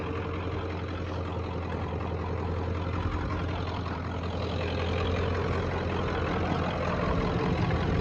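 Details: 1994.5 Ford Power Stroke diesel ranch truck, 384,489 miles, standard transmission, just back running after shop work; under-hood idle is steady and even with a low firm rumble, no knocks or misses, constant rhythm; healthy normal idle.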